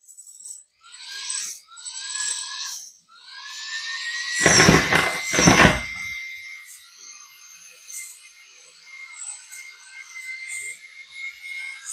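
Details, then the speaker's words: Lesu SK500LC RC excavator left track after ESC replacement: short high motor whines in bursts about once a second, motor trying but track not turning; owner suspects gears were reassembled wrong, unconfirmed. "All right, it's a no go. I can hear the motor trying to turn, but perhaps there's a problem when I put the gears back together in here."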